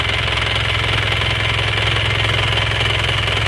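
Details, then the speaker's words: Isuzu Panther diesel after a rebuild with custom liners, warm at 83–84 degrees working temperature: an even, steady clatter with no misses or knocks and no smoke. The blow-by is cured; normal warm idle. "Nah, ini sudah normal banget ya. Enggak ngasap. Berarti ngobosnya sudah sembuh."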